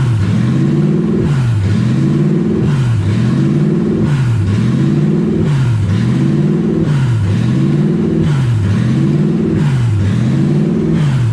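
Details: Toyota 1UZ V8 in a Ford Falcon, open headers with no exhaust, oil pressure 90+ psi; surges about every 1.3 s, never settling; owner suspects idle air control valve, possibly vacuum leak.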